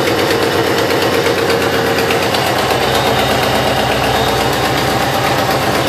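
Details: 2005 Subaru Impreza WRX after front-end wreck rebuild, heads freshly rebuilt: uneven idle with sharp, fast puffing tick on every exhaust pulse, suspected rod knock or sticking valve, actually a very bad header exhaust leak; new header fixed ticking and rough idle.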